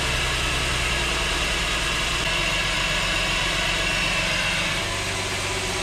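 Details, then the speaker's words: Mercedes E350 3.5 V6 just after rebuild (scored cylinders found, valve stem seals and gaskets replaced), cold start; steady even idle, no knocks or misses, barely any smoke — normal cold idle. "Sounds pretty freaking good. Also, no smoke."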